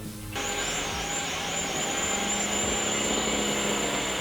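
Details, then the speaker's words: JXD528 GPS camera drone after a crash bent a prop. One motor gives a loud, steady, high-pitched whine over a rattly buzz. Suspected stripped gear on the back-left motor; not confirmed. "So we turned it all off and back on and recalibrated it, and it was doing the exact same thing, flipping over and then making a horrible whining noise. To me, that whining noise sounds like a stripped gear."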